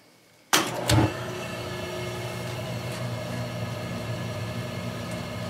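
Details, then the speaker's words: Boiler, thoroughly cleaned a couple of years ago, with its thermocouple replaced a few times, switched off and restarted: quiet, then a soft click and a whoosh as the burner lights, settling into a steady even hum; normal clean startup. "And this thing should be running real nice because I took this thing apart a couple years ago and thoroughly cleaned it out. So it's probably running better than it has in a long time still."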